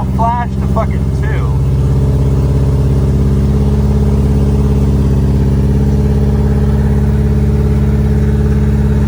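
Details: B5A4 engine on newly installed standalone ECU, untuned, after setting reversed firing order to work around suspected mis-pinned harness; steady even note at constant pitch with regular firing and no misfire, running normally.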